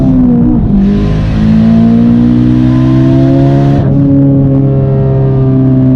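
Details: Warmed-up engine at full throttle after a spark plug change to one-step-colder BKR8EIX plugs and new coils, fixing an earlier misfire; strong clean pull, rising note and a quick shift with no stumbling or popping; normal full-throttle acceleration.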